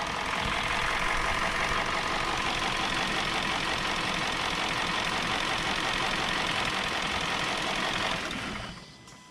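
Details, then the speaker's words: 2017 Hyundai Sonata with code P0303, cylinder 3 misfire: idle stumbles with a lumpy pulse about four times a second while coils are unplugged to find the cylinder. Swapping coils then plugs confirmed the #3 spark plug was bad. "that's the bad one okay"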